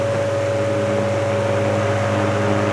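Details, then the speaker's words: Restored 1949 GE Vortalex 12-inch desk fan after all four loose motor coils were epoxied to stop coil buzz and vibration was reduced: even, clean motor hum with soft airflow hiss, no buzz, vibration or rattle. "But it sounds beautiful. It sounds clean. It sounds There's no I don't hear any vibration or rattling."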